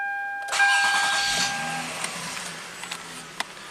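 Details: 2003 Toyota Camry V6 with long-crank complaint after extended hot soak, restarted after a one-hour hot soak, engine at operating temperature: short crank, catches immediately into a steady idle, no stumbling; normal quick hot start.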